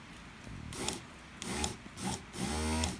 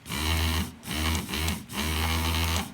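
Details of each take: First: Land Rover Freelander 1 window regulator motor after repair, thin washers added each side to take slack out of the armature that pulled against the brushes: three short runs of smooth even hum, no grinding; noise gone. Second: Land Rover Freelander 1 window regulator after adding a washer: motor whirs in half-second bursts with a rough buzzy edge, slightly quieter than before. Washer likely too thick.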